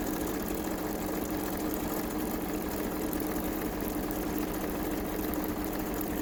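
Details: Kenmore 385-19550 sewing machine being tested after repair of wrong pattern stitches and speed control, speed adjustment screw centred: soft steady motor hum with even whir, no rubbing, clicking or catching; runs smoothly.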